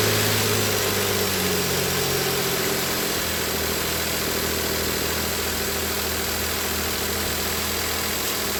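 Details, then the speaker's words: High-pressure fuel pump engine just restarted after a second diesel engine flush, with oil well overfilled: a steady, even idle with no knocks or misses. It runs fine during a one-hour idle, though it later set a check-engine light. "So it's running fine right now. It's also 209, 210. I'm going to give it 1 hour. Just let it sit here and idle."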